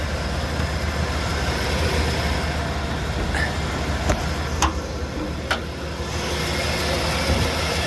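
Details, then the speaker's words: 1988 Ford F-150 with the 300 inline-six, 37 years old, just brought home: steady, low, even idle with a smooth rumble and no knocks or misses; normal idle. "So listen to that old 300 sing. Man, that runs nice."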